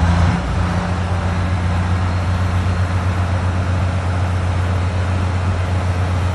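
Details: Cummins V12 1-megawatt diesel generator in Valdez on its first start: deep, even diesel rumble with a steady low drone and no knocks or misses; the engine runs smooth and healthy.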